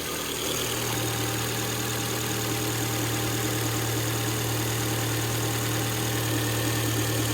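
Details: Ford Fiesta 1.2 Zetec after refitting a displaced rubber piece that had been rubbing on the auxiliary belt: steady, smooth idle with even low hum and no rubbing, squeal or ticking; engine healthy.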